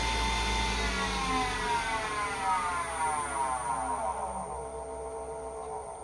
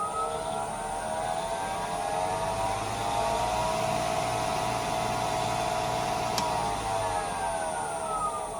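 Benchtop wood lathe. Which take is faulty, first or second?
first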